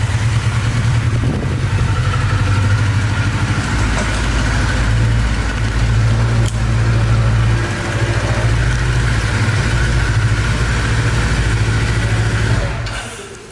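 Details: 1982 Kawasaki KZ1000 LTD, 9,000 original miles, freshly sorted after museum display: steady, even low burble at idle with no misses, knocks or ticks; runs smooth and healthy.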